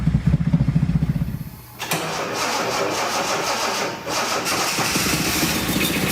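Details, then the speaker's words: 1976 Datsun 280Z, fuel-injected, on its first start attempt with fuel pressure present. A few seconds of cranking, then it catches and runs steadily but slightly rough. It later died; foam, likely packed in by mice, blew out of the exhaust. "First trial start of the Datsun 280Z. Got fuel pressure. There it goes, it's running."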